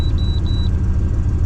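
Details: 1996-2000 GM Vortec (GMT400) V8 truck after P1345 fix, codes cleared and battery reset, 0 DTCs: smooth low rumble at steady idle with three short high beeps over it and no stumble; healthy.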